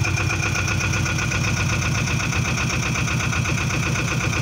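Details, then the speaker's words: Boat engine idling after generator replacement and belt tensioning, charging light out, voltage correct; steady smooth low pulse, no squeal or belt flap, healthy. "Volt is correctly. No flapping around. Perfect."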